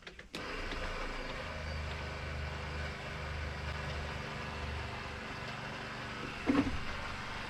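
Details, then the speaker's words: Water pump on a Coachmen Classic motorhome under renovation, fresh tank about half full: steady electric hum running constantly without cycling off, air heard in lines, brief clatter; owner suspects the pump may be bad and may need replacing. "just running constant i hear air it may take some doing here to get all the that pump might even though it makes noise you know it's running it doesn't mean that pumps any good"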